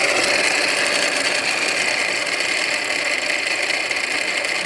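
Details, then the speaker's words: 2015 Audi A6 2.0T, customer complaint of noise under hood; harsh metallic grinding and rattling while running, at first sounding like a timing chain, but the alternator is eating itself, pulley digging into case, metal flying, still charging; alternator replaced. Failing alternator bearing grinding. "you see the metal flying out of it? The alternator is eating itself."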